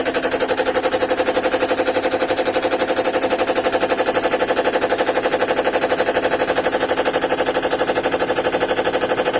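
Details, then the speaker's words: GEDTECH GLL71200WH 7 kg, 1400 rpm front-loading washer, under three months old: loud, even banging about four times a second during spin while the machine shakes. Cause unclear; it also shows an E2 error and won't spin at the end of the cycle. "C'est pas normal que ça se secoue comme ça. C'est. Ça fait du bruit encore."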